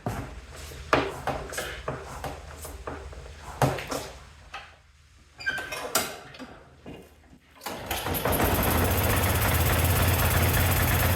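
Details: Yard-Man snowblower after new carburetor, spark plug and primer bulb: several pulls with sputters, then catches and settles into a steady even drone; now starts and runs normally.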